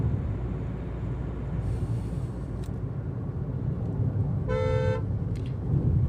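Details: Hyundai Creta cabin at about 60 km/h with the AC switched off, 35°C outside: even, low road rumble and tyre hum, a brief horn outside, no rattles or whistles. Cabin noise is normal.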